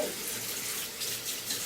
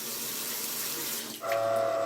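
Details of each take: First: Mixer tap after its worn-rubber valve cartridge was replaced: water runs with a smooth, even hiss and no singing or humming. The noise is fixed. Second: Mixer faucet: running water hiss gives way to a steady, clear whistling hum when opened; both valves sing, the worn valve cartridges likely need replacing; other possible causes named are loose pipes and no pressure reducer.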